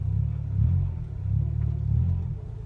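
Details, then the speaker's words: 1996 Acura Integra after fixing exhaust rattle on a newly welded exhaust, driving under load at low RPM: deep steady exhaust grumble with no metallic rattle or buzz; normal low-RPM exhaust note. "I don't know if you can hear it, but that low RPM grumble under load, low RPMs, no"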